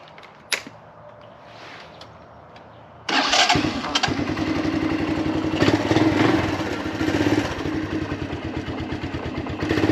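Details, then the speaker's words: 1983 Honda Big Red ATV, previously hard starting on 1.5-2 year old gas, now on fresh non-ethanol 91 octane: catches at once into an even, quick single-cylinder putter; normal start and idle. "Alright, so it started right up. So if you have a small engine or ATV, snowmobile that's, not starting like it used to, check the easy stuff first."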